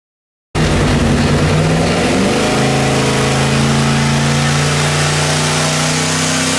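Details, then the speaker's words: Quad-turbo (twin two-stage BorgWarner) junkyard LS on an engine dyno, pump gas, under boost: loud pull rising in pitch with an uneven stumbling beat, a steady miss from a broken spark plug and bad coil leaving two dead cylinders; fixed and fuel trimmed afterward. "this is a bad misfire pass and coming up is a clean ones right after this"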